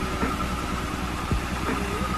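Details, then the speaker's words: Twin-turbo-swapped widebody Nissan Z31 300ZX running for the first time after sitting, turbo intake just connected: low, steady idle with an even rumble, no knocks or misses; engine settled and sounds healthy. "she's running she's idling she sounds healthy man"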